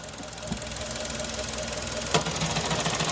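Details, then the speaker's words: Engine with suspected wear in bottom end: pressing and releasing clutch quickly brings rough uneven knocking about three per second over idle, slow clutch release makes it vanish; excessive crankshaft end play. "Se você pisar rápido e soltar, o barulho vem. Se você pisar devagar, o barulho some."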